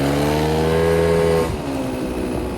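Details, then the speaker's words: 1983 Honda Aero 50 two-stroke scooter at 4,393 miles after fresh transmission oil change, test run: even buzzing note holding steady then revs dropping cleanly, no more knocking; runs normally, a possible minor noise in the CVT cover. "Definitely feels way better than it did before. Feels like a completely normal scoot now. No more knocking noise."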